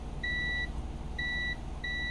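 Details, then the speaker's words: Omron G8HL-H71 relay from a 2005 Honda Accord V6 (A/C circuit), multimeter continuity test across the coil: three clear high meter beeps over low room hum; continuity present, relay good. Replacing the bad relay fixed the A/C. "it you hear that sound that's good that means there's a connection so that's a good relay"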